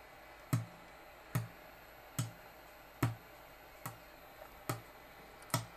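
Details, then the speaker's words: Peachtree Audio Grand Integrated X1 stereo amplifier with a buzz on one channel: the right channel gives sharp clicks with a dull thump about every 0.85 s, and total distortion with no audio, while the left channel is perfect. Caps suspected; digital processing controller likely failed. "the left channel sounds perfect so that's the left channel and you can still hear the right channel clicking so i'm gonna have to pull this board completely out of the right channel and check all these caps"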